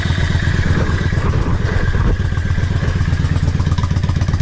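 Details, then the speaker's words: Yamaha XVS650 V-Star 650 V-twin, warm, after a #20 to #22.5 Mikuni pilot jet change (120 main, needle 4th slot, cut slide spring): even, loping thump at about 1000 rpm, steady and unstrained; a healthy idle. "You want it so that the tail light and the headlight aren't flicking, and the bike doesn't sound like it's struggling. That sounds fantastic."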